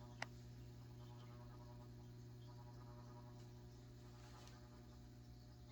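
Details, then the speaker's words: Kitchen ceiling fan after cleaning, running clockwise: low steady hum with faint buzz, no knocking or scraping; motor weak and running slower than before, strained motor hum, cause unclear. "I'm surprised you hear the motor kind of making some noise"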